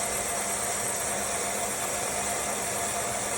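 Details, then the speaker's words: Old boring/cutter machine modified to run CNC-like, spindle at slower than standard RPM: even, steady hum with a faint constant hiss and no knocks or wobble. No vibration, so a balanced coin would not topple. "Nah seperti ini lah, salah satunya dia tidak akan tumbang ataupun bergetar, karena aslinya sampai sisi turunnya lambat."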